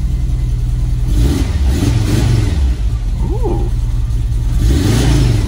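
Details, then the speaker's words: 1987 VW Vanagon Syncro Westfalia parked since 2001, first start after engine work on a lift: clean rise and fall of revs with a throaty exhaust note, no knocks or clatter, settling to a good steady idle; healthy. "let's Crank It Up see what it does contact fires up idle's good no horrible"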